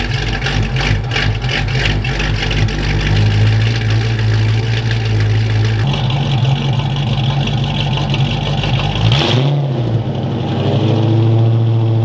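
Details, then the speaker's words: Fox-body Mustang V8 (about 200 hp) with new custom exhaust and muffins, loud at rear of car: deep, lumpy idle climbing cleanly on two throttle blips and settling evenly; normal V8 idle and revs. "yeah this exhaust setup is actually really nice i can tell it's very loud on the back of the car but it sounds really good i like the tone of these muffins"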